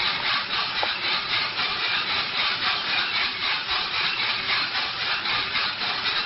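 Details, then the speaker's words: RK Drums 4 lb coffee roaster drum on a gas grill, loaded with 4.75 lb green coffee at about 600 degrees, motor just switched on; steady dry rustling with a soft swish about once a second as beans tumble evenly. Normal operation. "Let's go ahead and put this drum in and flip the motor. You can hear the coffee turning."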